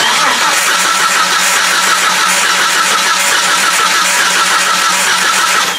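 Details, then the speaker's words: Turbocharged Jeep TJ with random misfire, engine hot: uneven lopsided cranking with one cylinder not participating, a dead cylinder; cause unconfirmed. "there's what I would call a dead cylinder may be hard to hear I can't get it on the right stroke there's just like one cylinder that's not participating which is bad"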